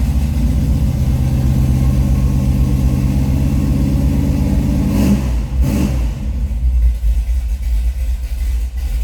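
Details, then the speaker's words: 1956 Chevrolet 210 Delray Club Coupe Pro Street just started and warming up. Deep, steady note holds firm through a couple of throttle blips to clear it out, then drops back to a smooth, even idle. Normal, healthy. "We'll clear it out a little bit, let it warm up here just a tad."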